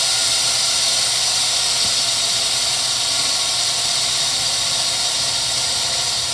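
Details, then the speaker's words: 1963 Heald 5 HP universal internal grinder model 273-A, wheelhead spindle running: steady high-pitched hiss-like whine, even, no knocking or grinding; motor and head bearings and belt in good shape. "you're hearing here is just the motor. It's just the motor, just in general. Bearings are in good shape in the motor and in the head."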